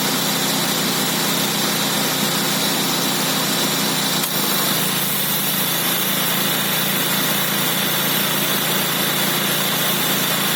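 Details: Nissan Sentra B14 idling with a busy, tinny rattle layered over the engine from a dying Calsonic A/C compressor.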